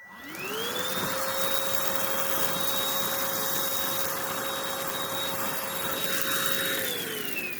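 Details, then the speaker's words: Oraimo H3 handheld vacuum, all filters in, battery fully charged, large opening without attachments, picking up rice: motor whine climbs quickly to a steady high pitch and holds smoothly, then winds down; normal unobstructed suction, no clog. "and again not an issue at all that's just it's not a problem whatsoever"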